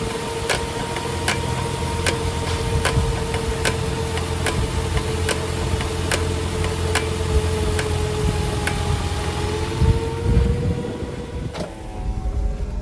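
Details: Toyota Avanza Veloz automatic, light braking: a sharp regular knock about every 0.8 seconds over a steady hum. The brake disc is warped, and on-car disc machining is recommended.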